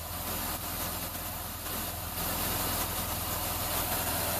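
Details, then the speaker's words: 2004 or 2005 Ford Escape V6 idling with code P0355 (coil E primary circuit): low, uneven idle with occasional stumbles and whooshing backfires through the intake while the engine shakes; intermittent miss traced to a failed ECM coil driver, Mode 6 misfire counts all zero. "it sounds like it's almost like misfiring, backfiring through the intake. And when it does that, you can see the engine shake a little bit."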